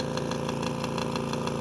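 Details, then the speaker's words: AirSep NewLife Intensity 10 oxygen concentrator (10 L/min), strange noise at startup: steady motor hum with sharp regular rattle about six times a second from the compressor, rubbing suspected; current draw peaks 4.6–5.6. "van a ver ahí ese traqueteo proviene del compresor así que vamos nosotros a analizar de qué se trata ese rozamiento no vaya a perjudicar algún elemento crítico no el equipo"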